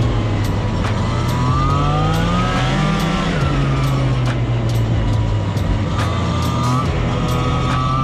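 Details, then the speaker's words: Arctic Cat Jag 440 two-stroke snowmobile (1982, owner thinks), revived after years sitting, on 50:1 premix, pulling through deep snow: buzzy note climbs and settles smoothly, no misfire; owner hopes it's not too lean, little smoke; normal running under load. "I hope she ain't running too lean not smoking a whole lot"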